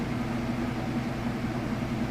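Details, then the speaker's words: Kenmore top-load washer on the final spin of an express wash with a heavy load of jeans and towels, lid lifted: a constant low motor hum at full speed with no thumping, banging or grinding. This is a normal, smooth spin. "Alright, and we're back on the final spin. It's up full speed. I'll go ahead and lift the lid up. You can see it spinning nice and fast."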